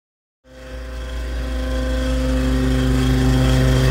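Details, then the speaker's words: Walk-in freezer evaporator fan: spins up with hum and quick regular slapping about four a second as blades strike heavy ice built up in front of the coil, from the door being left open; defrost heaters clear only the coil. "that sounds like it's a problem W man that's some serious ice it's backed way up into there"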